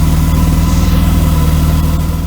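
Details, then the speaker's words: 1992 Mercedes W124 300E at idle with a temporarily patched, holed exhaust pipe. A deep, rapid chuffing rides each firing pulse. Exhaust leak; a new pipe section, probably 2.5-inch, needs to be welded in. "Yeah, it definitely needs a new piece of pipe there, so I'll get a hold of neighbor Rick over there across the street."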